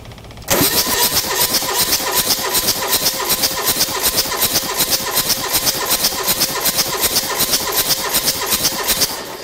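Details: Diesel engine cranked during a compression test through the glow plug holes. The engine was dirted by a pinhole intake leak. Steady cranking at about 160 beats a minute with no firing: low compression.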